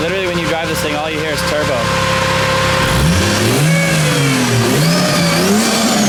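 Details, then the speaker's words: 2JZ-swapped Nissan 240SX on first drive, Toyota power steering pump filled with ATF: whining tone rising and falling with engine speed over the exhaust; owner suspects the power steering pump, may change fluid. "the power steering pump is like angry right now I don't know what his problem is mad"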